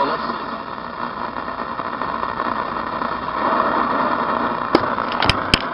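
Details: 1972 reproduction Philco Baby Grand radio DXing on AM: hiss and crackle with sharp pops near the end, no clear station; interference noise, owner suspects a 5G tower, not confirmed.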